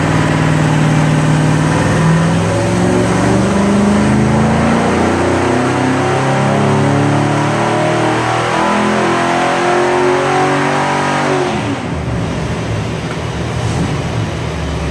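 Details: 1967 Corvette with 502 big-block crate engine, freshly rebuilt after oil burning and an internal noise, on the dyno: revs climb cleanly through the pull and drop back with no knock, rattle or stumble; strong, healthy V8.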